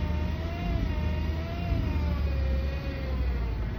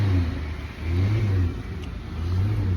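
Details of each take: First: Chrysler/Dodge automatic transmission, fluid level checked and good, noise appearing after re-warming: steady mid-pitched whine over a low engine rumble; transmission whine, clogged filter suspected. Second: 2014 Dodge Caravan after transmission service with clogged filter replaced, previously whining when accelerating: revs rise and fall with clean low drone, no whine; transmission now quiet and normal.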